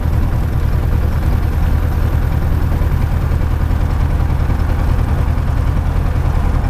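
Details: Light aircraft engine on a ground run after plug cleaning and a new battery; deep heavy drone with uneven lumpy tractor-like pulse and vibration, rough running, no mag drop, owner says not spark plugs, cause not yet found.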